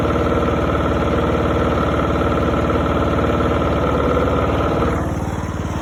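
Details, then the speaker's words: $50 John Deere mower after its blown motor was replaced, headlights on for a charging check: steady, even single-cylinder thump around fast idle, easing down near the end, no knocks or misses; lights brightened when revved, so it's charging; healthy. "How you check if it's charging? You turn your headlight switch to the on position, and then you rev your motor up and down, and it tells you if you're charging or whatever."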